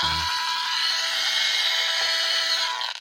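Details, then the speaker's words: Old Athearn Bluebox HO boxcar with added speaker and circuit: loud steady hiss with thin high buzz, cutting out; output changes near lights, static in one spot, singing in another, cause unclear. "So over here, static. Over here, singing. So I've pretty much chalked this car down to being a scary car that makes spooky noises."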